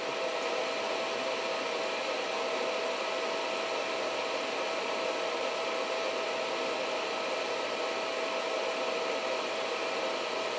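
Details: Reliable Electric 800W pure sine inverter ramped from 700 toward 800 W, output dropping to about 100 V: steady, even fan rush with no rattle or wobble; cooling fan running hard near full load, sounding normal.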